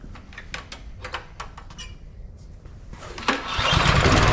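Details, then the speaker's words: Neglected MTD Yard Machine 22-inch snowblower, possibly about 5 hp, 179 cc, electric start: sharp cranks, then it catches and roars up unevenly. It runs on half or full choke but dies with the choke off. A fuel or carburetor problem is suspected; carb cleaning is planned. "Yeah, so you can see it runs on half choke, runs on full choke, runs on half choke, and as soon as I pull the choke completely off, it dies."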